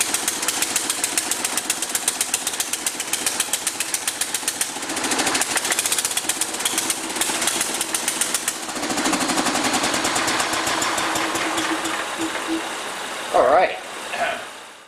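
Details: John Deere 210 garden tractor with a rebuilt carburetor, first run in over a year and smoking: it chugs unevenly with ragged firing pulses, then sags and fades out; it runs rough until the throttle is adjusted.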